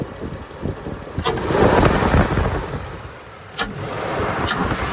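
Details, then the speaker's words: 3rd-gen Toyota 4Runner that had stumbled and stalled at a red light, revved after MAF sensor and throttle body cleaning. It picks up cleanly, rises smoothly and settles without stumbling; the cleaning appears to have fixed it. "Sounds good. I think that fixed it."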